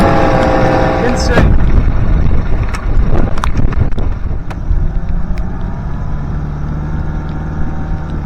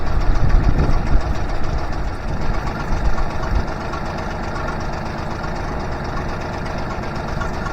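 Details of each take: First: Honda BF25A 25 hp three-cylinder 4-stroke outboard, during idle mixture and three-carb synchronization after fuel system overhaul: handling clatter, then steady even idle with level tone and no misses; idle perhaps set slightly too high. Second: Honda BF25A (BF25AY) 25 HP 4-stroke 3-cylinder outboard with three stacked carbs, idle raised: idle mixture screws turned out during tuning, idle sags with uneven popping and stutter; lean misfire popping.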